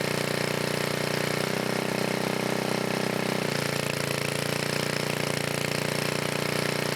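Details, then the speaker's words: 1980 Montgomery Wards 2200 W generator, Briggs & Stratton 5HP, after NOS block swap and carb rebuild, no smoke; constant buzzing with quick pitch shift as governor corrects, then steady speed: running healthy. "well guys I'm happy whether it seems to be working pretty good"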